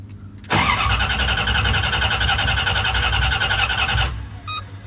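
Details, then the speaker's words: Car after installing computer and wiring fuel pump, fuse now fitted, fuel pump working: starter cranks steadily about three and a half seconds but never fires; cranks, no start, fuel present and oil pressure building, owner suspects injectors need cleaning. "So it must be so I still have a problem because it's supposed to go off when it cranks."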